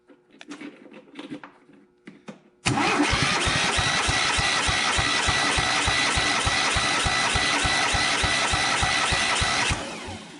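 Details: John Deere G100 mower after straightening a bent push rod and reassembling: compression check while cranking at about three even, strong chuffs a second with no weak beat.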